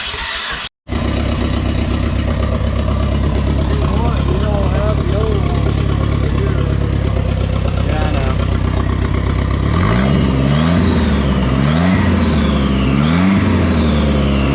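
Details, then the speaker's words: SRT4 engine from a wrecked car, first start after fuel pump relay fix: coughs and stumbles on cranking, then catches and settles to a steady run; owner suspects oil or debris in the cylinders. "well caught coughed caught finally fired i think there was some stuff down in the cylinders a little bit of oil or something who knows"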